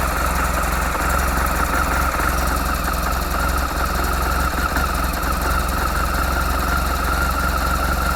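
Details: 2004 BMW R1200GS two-cylinder with dry clutch at idle: loud, steady idle with a low rhythmic rattle. Owner unsure whether clutch or gearbox; abnormal mechanical noise at idle.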